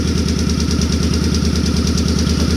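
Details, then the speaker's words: Suzuki Boulevard C50 V-twin after a new fuel injector and Cobra FI2000 fuel controller, previously missing at idle: steady, even loping idle with no knocks; slight valve noise appears as it warms, considered normal. "i don't even hear the valves anymore maybe a little yeah they're starting to kick now once she warms up that's normal though you don't you don't want to have quiet valves loud valves are happy valves on these [Music] bikes"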